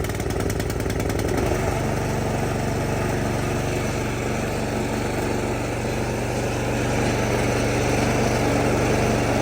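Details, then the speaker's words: 2019 Craftsman 24-inch snow blower, single-cylinder, electric start, throttle at midpoint, choked and primed: steady, even putter, no misses or knocks; about half as loud as the 1977 Craftsman. "and as you can hear, that machine only makes in comparison, that maybe only makes about half the sound that old one did."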